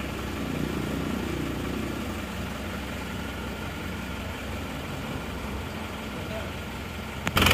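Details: Isuzu Panther diesel just started cold after new cylinder liners replaced a compression leak that only caused smoke at the oil filler cap and dipstick; steady, even, unhurried clatter at idle with no knocks or misses; normal cold idle.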